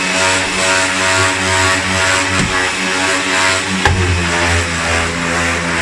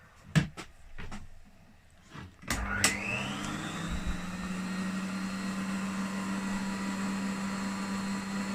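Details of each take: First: Refurbished 1980s Hoover vacuum cleaner, made in Mexico: steady high motor drone with an odd humming overtone and brief clunk once the hook is attached; owner notes a known unresolved fault, cause unclear. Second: Rare 1980s Hoover upright vacuum on its minimum power setting, drawing about 325 watts: the motor spins up with a rising whine, then a steady, even hum with no rattle, running normally.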